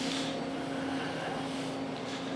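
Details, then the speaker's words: Milltronics VKM4 3-axis CNC mill, spindle shut off, table moving under the axis drives. Just a faint, steady hum with no grinding, whine or knocking; the drives are nearly silent and healthy. "so I'll shut the spindle off sick and here the drives running and you can't hear them they're silent so the table's running right now still nice and quiet"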